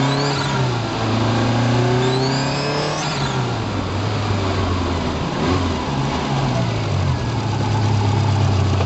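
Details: Subaru Impreza GC8 nearing 150,000 km: a high, thin whistle rises and falls with the revs once boost builds. Suspected whining turbocharger that the owner thinks is due for replacement.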